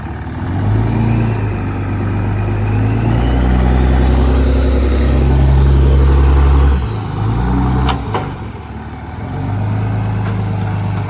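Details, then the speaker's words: Dodge 3rd-gen Cummins 24v diesel truck, not driven in about 3 years, idling before going to the paint shop: deep steady clatter at an even idle with small rev changes, no misses or knocks; sounds healthy. "Sounds about good. Yeah, it sounds good."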